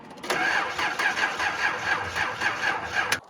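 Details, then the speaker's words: 300,000-mile Datsun 280ZX: the starter turns the engine slowly, about four labored beats a second, and it never catches because the battery is dead; a slight exhaust leak is also noted. "no the battery's [Music] dead as you can hear it has a slight exhaust leak"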